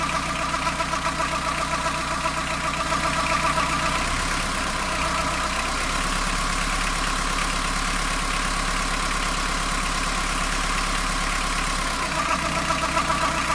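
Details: Fiat Ducato van diesel at warm idle, first noticed after a coolant change: an uneven rattle-like noise from the belt side of the engine, present only when warmed up and only at idle; cause unidentified.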